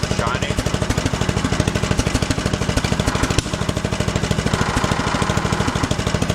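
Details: 1974 John Deere 112 with newly swapped 16 hp Kohler K341 single-cylinder (replacing 12 hp K301), just started and running: steady thumping beat about three firings a second, even and strong, no knocks or misses, though visibly shaky; running fine.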